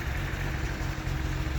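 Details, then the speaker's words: 1979 Datsun 280ZX, which has no O2 sensor, started after sitting 20 minutes: steady, lumpy, rough idle with black exhaust. It is running extremely rich; the thermal time switch was suggested as the cause. "It's been sitting for like 20 minutes now, so it might start a little bit better than what it normally does, but it is still be running extremely rich."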